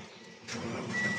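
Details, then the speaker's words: 2019 Mitsubishi Xpander after cleaning a dirty push-button start switch that caused hard starting and trouble shutting off: one short crank, catches at once, quiet steady idle; starts and stops normally now. "so one click na siya So Tingan natin pagka pinatay mamatay kaagad patay start so nagnal na siya"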